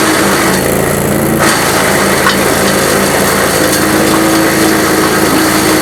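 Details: GreenMech Arborist 130 wood chipper on dull blades; steady petrol engine drone with rough, uneven chewing of wood under load, still working but cutting slowly with reduced productivity.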